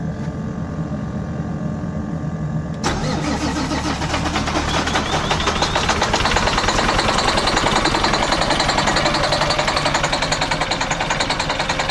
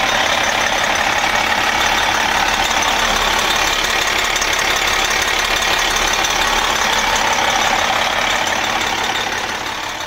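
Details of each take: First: MCI coach with Detroit Diesel S60 DDEC6 (425hp @ 2100rpm) starting and running on only 3 of 6 cylinders: lumpy, stumbling beat from a misfire caused by an external engine wiring harness fault, later fixed by wiring repair. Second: MCI coach Detroit Diesel S60 DDEC6, 425hp, after repairing faulty external engine wiring harness: even diesel idle clatter with no stumble, running on all 6 cylinders.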